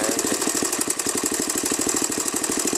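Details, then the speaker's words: Honda XR200R single-cylinder at steady idle after a clutch-side rebuild: a fast, even mechanical rattle with a bright metallic tick over the idle. Engine ticking noise; the owner suspects the cam chain, not confirmed. "i don't know what's that noise in there"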